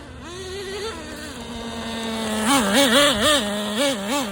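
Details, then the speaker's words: Traxxas Nitro Slash neglected over a year with no after-run oil, untuned, on its first tank. A high, buzzy engine revs in crisp bursts with no stumble or misfire: normal running. "I haven't tuned it or anything. I just fired it up and I'm just running."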